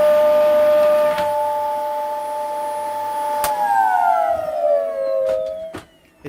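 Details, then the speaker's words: Old tip-salvaged Dyson Ball vacuum: high steady whine holds level, then slides down in pitch as the motor spins down; loud whiny motor, cause unknown, owner will try to refurbish or fix it. "I don't know what it is with the Dyson holds with old a Dyson balls but with wine and an awful lot the motor sounds whiny"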